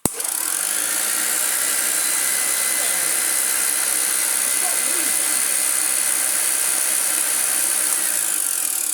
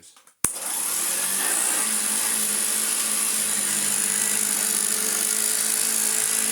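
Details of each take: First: Hoover Junior 1334A upright vacuum, rebuilt and refurbished: high motor whir with a faint light tick three or four times a second, likely the brush roll corner wearing on its end cap, expected to settle after a couple of hours. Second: Hoover Junior 1334A upright vacuum after full refurbishment, previously an awful-sounding motor with wind-down noise: sharp switch-on then a steady, even high motor whine with no wobble or grinding; running like new.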